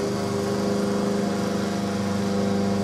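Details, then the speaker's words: Microwave transformer stepped up to about 2,000 V, energized: loud steady mains buzz and hum with a rattly edge as a metal piece held against the center of the iron core is set vibrating and chatters. "if you touch a metal piece up to here, you can really tell that it's vibrating the metal."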